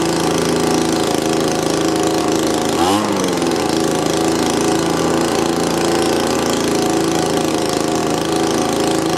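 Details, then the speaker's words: Old, battered Echo blower on its first start after a fresh carburetor install, choke on: a high, fast idle with an uneven buzz and a brief pitch dip, still running rough. The owner suspects the little plunger adjustment; the idle stays high even when the low/high mix screws are adjusted. "Well, I have to say, it's running much better. At least it's running. It still seemed kind of rough."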